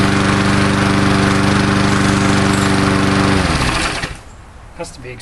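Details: Old Murray Dynamark 22 mower, 3.75hp Briggs & Stratton, cold start after about seven years stored in a garage, fresh gas added: small single-cylinder engine buzzing steady and even at fast idle, then cutting out; normal running.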